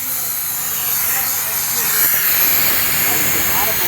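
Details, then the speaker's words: Tsunami Pure 5 regenerative dryer, muffler off, valve manually cycled, same shop air as Pure 10: loud sharp steady rush of escaping air, louder than normal purge. "can audibly hear the difference in the muffler went the muffler off it gets quite loud and you'll notice that where there was one piston o-ring on our Pier 10 series The Pier 5 is a little more audible"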